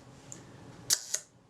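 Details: Synchro-Compur size 0 shutter from a Voss Diax Standard camera, after servicing, fired on X setting once cocked; crisp double snap about a quarter second apart, no drag or stutter; shutter releases normally.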